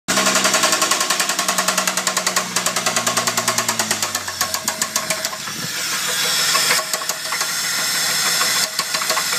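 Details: Holden VS Commodore Ecotec 3800 V6, 5-speed manual, running: heavy, regular knock about three to four a second from a big-end bearing that developed overnight; weak oil pump and poor lubrication suspected as contributing.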